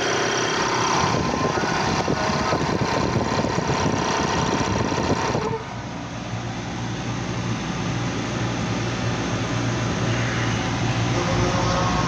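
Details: Air compressor after belt replacement, with new piston gasket and oil change: steady motor and pump drone with an even beat of about three per second, no belt squeal or slap; runs normally while being watched for noise at start.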